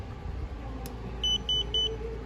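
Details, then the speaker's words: Leak block water leak sensor (bio Quantum/bio Renew system) gives three short clear high beeps over a low hum after its alarm is turned off and back on: normal power-on signal, working with no issue. "all right so that tells me that this thing is working and uh no issue"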